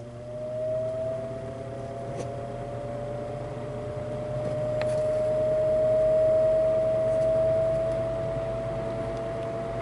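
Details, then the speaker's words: Vintage Brentwood box fan, not yet oiled, reluctant to start turning: hum rises slowly in pitch over ten seconds as the fan labours up to speed; sluggish start suggests dry motor bearings, expected to spin faster once oiled. "it will spin a lot faster after its oiled really I'm quite surprised by the spin don't I'm though you know it isn't the best at all"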